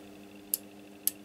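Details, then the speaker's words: Newly fitted relay in a vintage 1980s Stabo XF-4012 CB radio with no AM mode, powered externally from a bench supply: two crisp clicks about half a second apart over a low mains hum. Relay switching normally. "I can clearly hear the clicking yeah definitely need not sure if you can hear it but I can tell you that is working fine"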